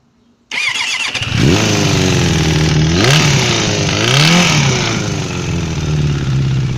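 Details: Suzuki GSF 600 motorcycle starts and revs in a few blips with a knock under the engine note; engine knock, cause not identified.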